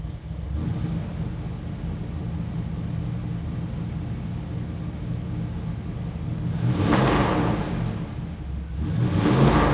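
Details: 1963 Chevrolet Impala SS, 307 cid small-block V8, hood open: deep, even burble at idle, then two clean throttle blips that rise and settle smoothly; normal healthy idle and revving.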